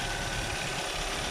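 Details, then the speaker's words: 2014-2016 Kia Sorento, listened to with hood open while checking for the common ticking or knocking: smooth even idle with steady hum, no ticking or knocking; normal idle. "one of the most common issue with the Sorrento is a noisy ticking or knocking engine so listen carefully this case the engine sounds good and smooth"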